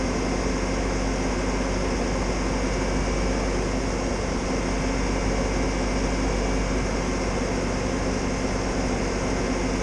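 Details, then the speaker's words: Bobcat loader after repair: low, steady engine drone with even note and no squealing; runs smoothly, fix confirmed. "Good. No more squealing. Seems to be pretty good."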